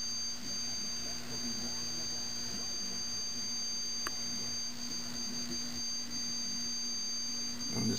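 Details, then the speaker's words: 1974 Zenith E4760 Avanti CRT TV after replacing all 22-5001 safety capacitors: steady low hum under piercing high-pitched whine, likely flyback noise; owner suspects a module and the tube, noise goes away in service mode. "I got a feeling it's from that module right there, but I think the tube here is making a little bit of racket as well."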